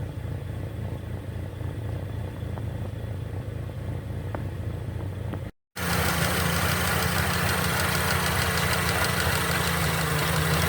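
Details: Mercedes-Benz M271 1.8 CGI Kompressor engine at idle: steady idle with a rapid, fairly even tapping about four per second over the engine hum; abnormal idle noise, cause unclear.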